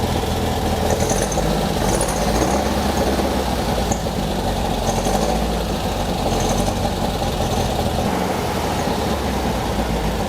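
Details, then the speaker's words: Beck 550 Spyder replica, air-cooled flat-four with Dellorto carbs and a high-lift cam, after a jet cleaning: a rough, lumpy idle with a loping beat and stumbles, as if one cylinder is unhappy; the mechanic guesses number two, cause unconfirmed. "it is technically running I suppose and it is technically idling but boy does it sound rough"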